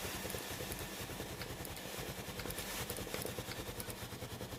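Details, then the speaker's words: Philips GC7620 steam iron after pump replacement (previously no steam): rapid pulsing pump buzz under a steady steam hiss, pump and steam working normally. "Vous entendrez le doux bruit de la pompe à eau. La vapeur sort maintenant à l’avant du poêle."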